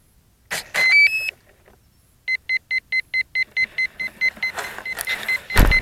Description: For some reason the P1600 ESC was complaining about something, not sure just what but it did stop.